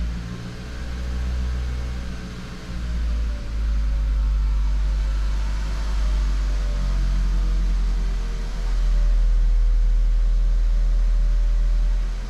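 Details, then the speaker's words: VW Golf Mk5, 50,000 km, after fixing fuel hoses rattling inside the frame (following a fuel filter change) with cable ties: a steady deep hum rising smoothly on revs, with no rattle or knock. "Well, no more noise from the engine. Well, no more rattling noises."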